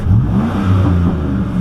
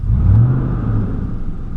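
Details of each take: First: 2004 Silverado 5.3L V8 accelerating hard on the road after a new GM fan clutch: the deep note climbs smoothly with the revs with no fan roar on top; the fan noise is fixed. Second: 2004 Silverado 5.3L V8 with Flowmaster exhaust at idle, then revved: a loud whooshing roar swelling and fading in slow waves that drowns out the exhaust; failed fan clutch, fixed by a new GM ACDelco fan clutch.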